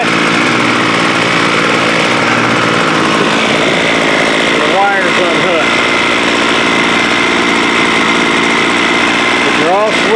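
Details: Homelite 26cc curved-shaft string trimmer (2016), two-stroke, bought water-soaked, running after a carb kit: buzzy steady even pitch with no stumbling or surging, runs cleanly; owner notes the head won't spin at idle, possibly the switch.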